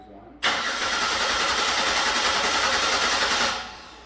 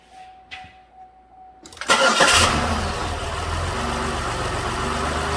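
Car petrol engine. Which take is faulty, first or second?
first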